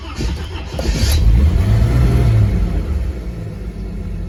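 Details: Warm engine, after the thermostat has kept opening and the engine is not running hot: low, rhythmic starter churn drags on for a couple of seconds, loading the starter, before the engine finally catches. A hard hot start.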